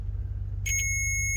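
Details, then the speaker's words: Ford F350 with 7.3 IDI diesel: multimeter beeps for continuity on the green starter signal wire from fender-well solenoid to starter solenoid over a low hum; wires good. Continuity beep, wire good. "And we do. So both of our wires were working."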